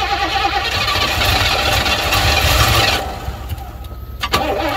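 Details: 1980 Pontiac Trans Am Turbo 301, after sitting about 18 years, running on fuel poured into the carburetor bowl: it cranks, fires and roars for a few seconds, then dies away. The engine starts and runs after long storage.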